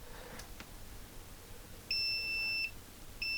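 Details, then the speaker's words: Atari 65XE power supply being traced: multimeter on buzzer setting gives two clean high beeps confirming continuity to the long lead, identifying pins 1, 4 and 6 as positive. "so um I've got the multimeter set up to buzz we've got the proclick to the long lead so looking at it from that side"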